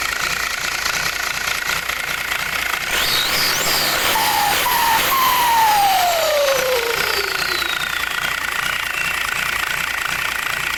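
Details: Turbo test after fitting a bigger compressor housing: loud whistle sweeping up then down in pitch over steady engine hiss, normal turbo sound.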